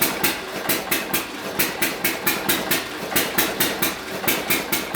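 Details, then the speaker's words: Hit and miss engine on a dyno under heavy (full) load, belt-driven: sharp exhaust pops about four a second, nearly back to back with only an odd skipped beat, roughly sixty misses a minute; normal hit and miss firing under heavy load. "a little quick estimate looks to me like she's missing about sixty hips a minute or so"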